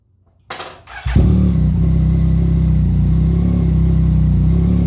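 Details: 2017 Yamaha FZ-09, start-up after clutch replacement and clutch cable adjustment: quiet, then the starter catches and the engine settles into a steady, even low idle with no knocks or misses; sounds healthy.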